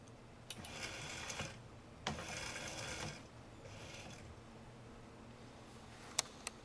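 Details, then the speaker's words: Sim racing wheel base that suddenly developed a strong burnt smell on its right side and jerks as if a motor is faulty: faint, raspy grinding in short bursts of about a second when switched on and off. "hopefully my camera is picking up that grinding noise when I turn it on and off there's a definite"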